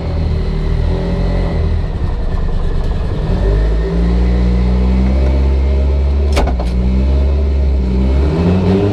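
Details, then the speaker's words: Evo 8 built 2.0 turbo (GTX3584RS, Tial 44mm wastegate, Haltech Elite 2500) on dyno on 93 octane, wastegate set to 0 yet hitting 40 psi: loud deep engine pulling hard, pitch climbing, no breakup; suspected wrong plumbing or boost controller. "You saw me set the wastegate to 0. Correct. Either your plumbing is wrong, Okay. or you cannot run 93 at all. Why? You're hitting 40 pounds."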